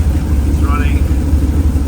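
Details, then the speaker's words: 1937 Nash coupe, 6.0 Vortec V8, right after replacing the fuel pressure regulator, on a slightly lower idle: loud, low, uneven pulsing rumble with the car shaking. The new regulator was not the fix; new injectors are hoped to cure the rough idle. "vibrates just as much a little bit more it's a lower idle know too that might make a little bit of a difference but uh it definitely that wasn't the absolute fix"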